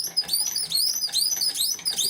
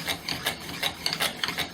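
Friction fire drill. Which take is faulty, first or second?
first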